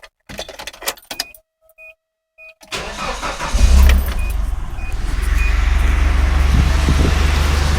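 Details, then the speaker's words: Nissan Hardbody truck with 203,000 miles starting after timing chain rattle repair plus new valve cover and oil pan gaskets; engine catches cleanly and idles smoothly with no chain rattle. "it is no noise not bad for a hundred dollar truck huh"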